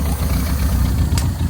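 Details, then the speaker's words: 1987 Toyota Corolla FX (AE82) 1.6 L four, sat since 1999, dirty oil and low coolant: low steady puttering idle with slightly uneven pulse; vacuum leak still present despite plugging lines, carburetor earlier leaked fuel from vents. "Vacuum leak still. We plugged about everything off. Probably shouldn't let her run too long. She's dirty oil, needs coolant. Sitting there puttering though."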